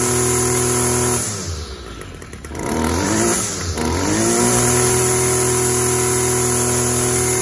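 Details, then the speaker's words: String trimmer that is hard to start and runs overly rich with smoky exhaust, run after refitting the spark arrestor screen: steady but muffled, labouring note with a dip and recovery; clogged, oil-soaked air filter pushing raw fuel and exhaust back through the intake. "runs pretty good it sounds like the air filter is clogged up because what happens when you can't exhaust out it builds up pressure everywhere else and it just pushes raw fuel"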